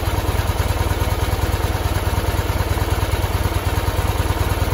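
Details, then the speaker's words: 1973 Ural M66 motorcycle, 6-volt with points ignition, twin exhausts and 948 km, idling with a soft, even thump of about three beats per second. Only intake hiss and exhaust puffs are heard, with no generator or gearbox noise, so the engine is quiet and healthy. "принципе не слышно ничего кроме звука сосо воздуха и выхлопа абсолютная тишина"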